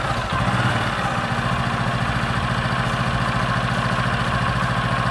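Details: Honda Supra 125 converted to a manual clutch with a welded centrifugal bowl, idling while warming up: steady low hum droning under the beat; owner suspects the gear behind the centrifugal bowl was turned too far. Humming drone at idle.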